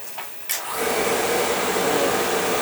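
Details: Oil-fired Viessmann boiler, no heat: burner motor spins up to a steady even whir with no flame rumble, oil flow present but pump pressure gauge doubtful; no ignition from dirty nozzle.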